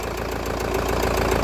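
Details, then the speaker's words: Kia Carnival 16-valve engine with worn, scored cylinder liners, just after repair: quick, even light ticking at cold idle, keeping time with the engine; all 16 hydraulic lash adjusters are weak, smoothing out once warm. "ada tok took to tooknya ya kalau baru start itu karena hla-nya kan juga 16 hla itu lemah semua jadi e kalau baru Setak itu agak kurang imbang"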